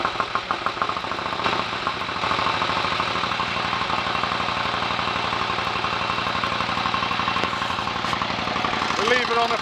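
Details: 1930 Royal Enfield 1000 cc Model K V-twin, kick-started after months unused, left on fast idle to check charging and lights: settles into a fast, even idle with steady mechanical chatter on top; running nicely, normal idle.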